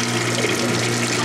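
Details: Whirlpool direct-drive washer from about 1993–95 with broken motor coupler diagnosed, during spray rinse: even, steady whir with water rushing through; drain pump still pumping out normally.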